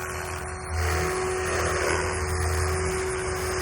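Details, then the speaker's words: Protos 380 Evo V2 RC helicopter with RotorTech 385mm Ultimate main blades during nose-in rolls: only a steady motor hum with a thin constant tone, blades almost inaudible; normal quiet main rotor blades. "basically inaudible and granted most blades are like that when you're doing nose-end rolls it's real quiet but i mean i literally basically couldn't hear it at all other than the motor so that's pretty cool"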